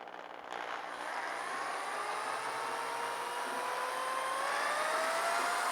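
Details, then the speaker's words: Porsche 356 engine pulled over a strong vibration near 3000 rpm; its cooling fan is spun by a drill through a fuel-hose coupler at 2000+ rpm, engine loose on a jack: a smooth whir climbs steadily in pitch, no knocks or wobble; the fan runs true. "so I don't see any vibration coming from that that I mean this motor is loose on the jack and so if it's vibrating it would shake this whole thing"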